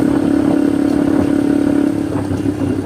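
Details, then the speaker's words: Motorcycle riding on the road with the exhaust end tip's hanger detached: loose metallic rattle and clatter over the engine note, very noisy; loose exhaust tip rattle. "ininya knalpotnya ini ada yang lepas itu teman-teman saya coba akalin dulu biar dia masuk lagi gitu ya biar suaranya enggak terlalu keras teman-teman berisik banget suaranya"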